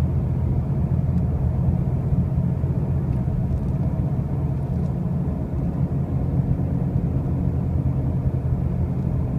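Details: 2005 Pontiac Grand Prix with brand new wheel bearings and new tires: a steady, loud low droning rumble holds throughout the drive with no distinct knock; something underneath is noisy, cause not pinned down.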